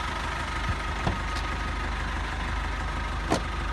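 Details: Cummins ISF 2.8 diesel in GAZ Sobol/Gazelle, about 200,000 km: even idle clatter, low steady rumble, couple of stray handling knocks; normal diesel idle.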